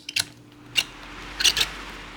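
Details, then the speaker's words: 1996 Lasko 16-inch oscillating pedestal fan, model 2116: short sharp squeaks with each twist of the rear speed switch; the fan runs strong but the switch squeaks, cause unknown. "fan's really powerful, but I don't know what's wrong with this switch. Like, why it squeaks when it I twist it."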